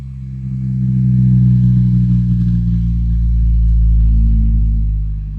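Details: Repaired Apple HomePod: clean, steady low tones swelling and fading smoothly, with no buzz, rattle or distortion. Speaker playing normally.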